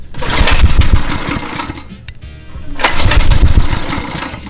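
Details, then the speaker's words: Old GMC K20 pull-start attempt: two hard rope pulls, each a quick string of even compression chuffs, but no firing; has compression, suspected clogged carb or needs fuel after sitting. "this thing sounds like it wants to fire so it sounds like has compression sounds like it wants to fire"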